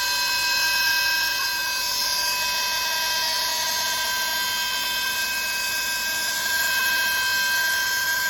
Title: Abnormal sound from air braking system when pressure is full #automobile #fixyourmercedes